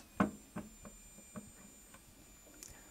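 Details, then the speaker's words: Soviet DP-4 roentgenmeter (1964) just switched to the Power position with a battery installed. A faint, steady high-pitched squeal from the blocking oscillator with scattered clicks shows the meter is on; this is normal. "We hear the characteristic squeak of the blocking oscillator, it tells us that the roentgenmeter is on."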